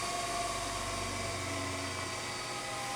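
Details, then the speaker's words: Harig/Bridgeport 618 EZ-Surf 6x18 CNC surface grinder, wired for 208 V, spindle winding down after power-off: smooth, even whir slowly falling away with no grinding, rumble or bearing noise; healthy spindle. "hit power off, and spindle will shut off at the same time, of course. You hear it winding down."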